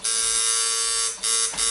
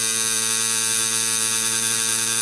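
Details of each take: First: here I really like the noise. I really like how it sounds. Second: Coil tattoo machine set to lower power buzzing steadily, bogging and sagging slightly as a larger needle drags against skin resistance while lining, helping keep depth constant but giving rougher lines.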